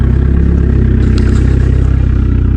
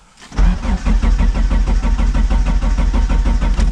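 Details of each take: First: 1999 Dodge Neon with swapped 2.4 turbo SRT-4 engine, running after storage and rewiring: steady even low rumble with regular firing pulses, no knocks or misses; normal smooth idle. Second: 1999 Dodge Neon with swapped 2.4 turbo SRT-4 engine, out of storage: steady cranking about two beats a second, never catches; crank no start, out of fuel, though fuel smell while priming led them to suspect spark or coil.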